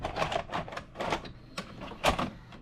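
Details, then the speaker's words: Cheap late-model DVD/VCR combo from Goodwill, after a fix: clicks and motor whirring as the cassette pulls in and the tape wraps the heads and plays. Normal load and play. "She took it. It's going around the heads. It's playing."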